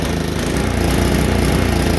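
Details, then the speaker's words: Tecumseh HSSK50 5 HP engine on a Mastercraft 24-inch MTD snowblower runs rough with no power, chugging unevenly with a lumpy, stumbling beat; spark cuts out completely, so an ignition misfire is suspected rather than the carburetor. "how bad did that run now what do you thinking right here is carburetor"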